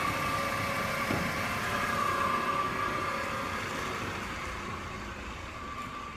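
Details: 2008 Mercedes-Benz C300 V6, stock exhaust, cold start: a steady high whine sits above the even idle and holds its pitch; a failing alternator, and replacing the alternator cured the noise.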